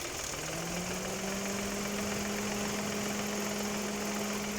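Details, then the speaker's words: 2018 Dodge Attitude idling with the air conditioning on after lubricating the rusty AC compressor engagement area: smooth low hum, the belt-like squeal at AC engagement gone. "no se escucha se dejó de escuchar Entonces eso tiene óxido a la hora que entra por alguna razón necesita estar lubricado"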